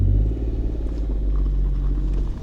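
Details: After adding oil, the car is driven turning left and right and reversing. A steady low rumble is heard with no knocks or clunks; the axle no longer knocks, though another noise remains that the owner suspects is the turbo. Normal differential operation.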